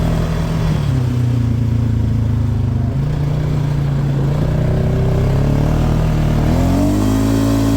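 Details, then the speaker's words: 2018 Polaris Sportsman 570, previously in limp mode (code 520 194-2, open throttle safety switch) fixed with two resistors; engine light still on: clean free revs climbing and dropping, no stumble or cut-out; out of limp mode. "all right engine light's still on but see if this [Music] works seems good it's not in limp mode"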